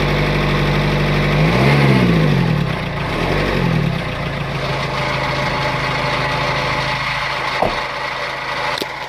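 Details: Renault Kangoo I 1.9 dCi diesel: abnormal engine noise rising with throttle under acceleration, with black smoke; revs up twice then settles into rough, uneven idle; cause unclear.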